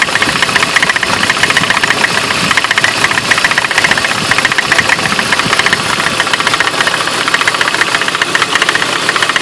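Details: 2003 BMW E46 with rough idle despite new spark plugs: fast, fairly regular ticking knock about four per second from front of engine; owner suspects leaking water pump, unconfirmed; knocking at idle.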